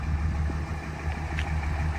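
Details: 2003 Ram with 5.9 Cummins diesel on a highway test drive after an injector swap that fixed hard starting, fuel pressure on target: deep, even diesel drone under road noise with no miss or hesitation; normal running.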